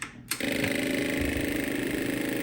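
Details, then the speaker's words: 1998 Yamaha V Star 650 Classic that won't start, at key-on with the run switch on: the fuel pump clicks rapidly and never shuts off, and it resumes when the key is cycled. A dry fuel pump, with no fuel reaching it, is suspected. "see so there's the fuel pump and it clicked all the way until it basically I think it's on like a timer or something and if you notice it never stopped clicking"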